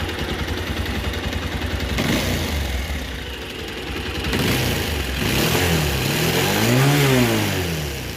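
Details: Bajaj Pulsar 220 single-cylinder bike idles, then revs up and down with a rough, rapid ticking that follows engine speed; noise source undetermined.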